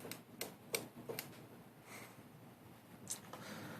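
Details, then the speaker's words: 2004 Kawasaki Ninja 250 with no-spark complaint, ignition box already replaced; coil gives sharp, irregular snapping ticks two or three a second, coil good and voltage drop not suspected. "i was cranking the motor tripping the wire and i was still getting spark while the motor was turning over so i don't think it's a voltage drop issue"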